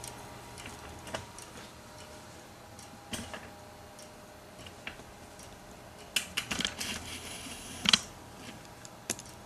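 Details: Hard drive connected via USB2-to-SATA cable after a power cut left the computer unable to boot; faint, irregular dry ticks over hiss while the file transfer stalls. Failing drive, click of death.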